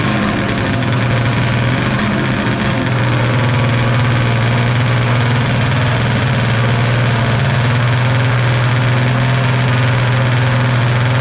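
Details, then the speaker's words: 1995 Polaris Storm 800 two-stroke triple snowmobile, 1,500 original miles, 130 psi compression, runs fine at top end but idles way too high: steady fast buzzy idle before adjusting the air and idle screws. "you can hear that it's idling way too high"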